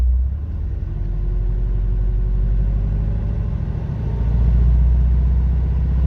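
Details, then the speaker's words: 1974 Dolomite Sprint with electronic ignition, cold start on a hot 25–28°C day with a little choke: steady low idle rumble with an uneven knock; owner suspects bottom-end knock or possibly an engine mount, and thinks it is worse when warm. "I'm bit worried it's bottomed knock but these things are hard to judge it could be something as simple as a mount knocking or something like that"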